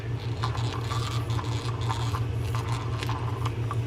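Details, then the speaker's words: Mitchell 300 spinning fishing reel, handle turned: uneven scratchy grind roughly twice a second, gritty rather than smooth; grinding with an anti-reverse issue, suspected bail not tripping properly. "Sounds like we have a little bit of a grind going in there. We have a little bit of an issue with the reverse, but we'll clean it up."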